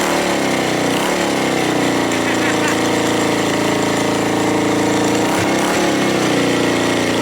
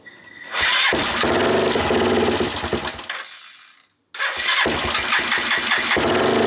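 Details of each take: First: Suzuki GN250 after fixing an upper-engine ticking: loud, steady single-cylinder idle with an even beat and no tick; some rattling only from unattached parts around the bike; engine sounds like new. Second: Suzuki GN250 single-cylinder after starting: fast, uneven idle with light top-end ticking, changed from crunchy to ticking; suspected valve clearances (cam chain or tensioner also considered), clearances to be rechecked.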